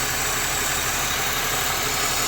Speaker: so I don't know if the camera is picking it up but I do hear a bit of a leak somewhere that hit some noise